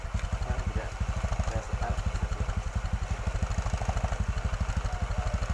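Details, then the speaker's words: Motorcycle with a worn bore, after the fix, exhaust no longer smoking; spark plug not cleaned so hard starting. Slow thudding idle with occasional sags: idle speed set too low, so the throttle stop is turned up. "setel gas. Gasnya kurang gede sedikit."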